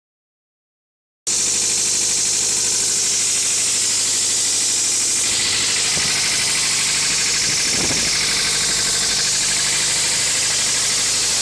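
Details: 2000 Toyota MR2 Spyder petrol engine idling with a thin metallic rattle that persists through a brief rev; cause undiagnosed.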